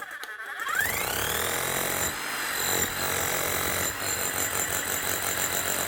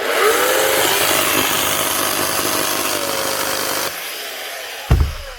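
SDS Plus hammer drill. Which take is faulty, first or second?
second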